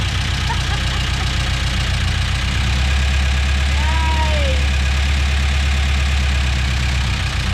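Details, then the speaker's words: Engine making a lot of noise at a loud, busy idle with rough rapid tapping about four beats a second; intake manifold found loose, its hold-down bolts broken off in the engine. "all right the engine's making a lot of noise we uh discovered we had a setback that engine has the uh i noticed that the manifold was loose the intake"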